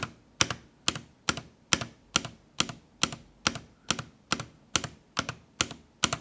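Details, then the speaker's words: Lofree 1% Transparent keyboard: steady spacebar taps, about two a second, each a sharp double clack with a buzzy rattle, as loosely fixed light diffusers rattle and the spacebar knocks against them. "І от чуєте тут, як Я і казав, через ці розсіювачі, які не закріплені нормально, які гримлять і пробіл стукається об них і теж гримить."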